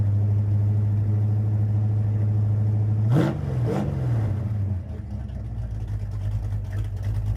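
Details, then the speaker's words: Ford Mustang project with custom flow tubes, tailpipes and new mufflers, idling at about 900 rpm, heard at the rear: deep, steady, even burble with one brief blip, no exhaust leaks. Slight ticking comes from inside the muffler chamber. Normal idle. "Wow, I like it. That's a 900 RPM idle right there. Sounds pretty good. That's almost as loud and rowdy back here as the open mufflers."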